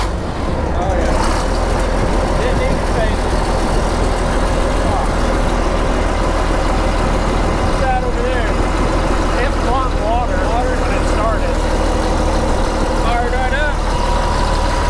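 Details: Cat D7G crawler dozer, test-fired after leak repairs and refuelling: deep, steady diesel rumble settling into an even idle after start-up.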